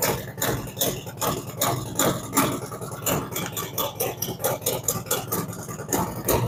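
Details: Freshly built V-twin after cam install, ThunderMax initial idle tune, cold and rich; loud lumpy idle with uneven chuffing pulses, two to three a second, settling as it warms; normal cold idle.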